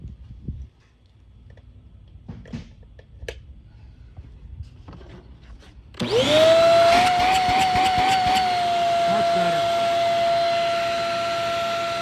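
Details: Shark Rocket HV301 stick vacuum, trash find that was clogged: quiet handling, then motor spins up to steady high whine with strong even suction; runs normally.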